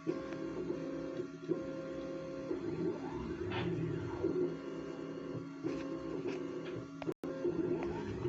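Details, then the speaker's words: New 3D printer, first run: stepper motors sing short tones sliding up and down between pauses as it probes and levels its bed; normal, lengthy bed leveling. "Ah, ça y est, elle fait son plateau. Alors ça, je sais que c'est long."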